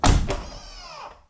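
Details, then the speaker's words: Rough Country power running boards on a 2021 Jeep JL Unlimited Rubicon, door opened: firm clunk then short motor whir winding down over a second as the step deploys; a bit noisy but normal, everything tight. "these running boards are a little bit noisy and this is this is what I'm talking about let me open the door hear that you can hear the clunk so you can hear the motors operate"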